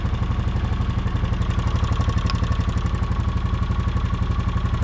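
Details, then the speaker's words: 2015 Honda Foreman 500 4x4 ATV at idle: fast, even light tick over the single-cylinder idle; owner suspects the injector or a noisy intake valve lifter and checks with a screwdriver as a stethoscope; ticking unconfirmed. "Yeah, I think it's this injector. Yeah, I think it's that injector."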